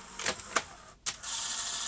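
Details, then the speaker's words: Sony Betamax SL-T30ME multistandard front loader, on eject: plastic clicks then steady motor whir that never completes its stroke, needing a push; lack of torque in loading/lacing clutch drive; slipping loading clutch. "okay so there's a lack of torque in this clutch mechanism oh look give it a push the other way"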